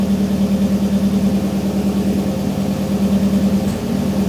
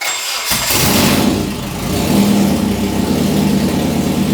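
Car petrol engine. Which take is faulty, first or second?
first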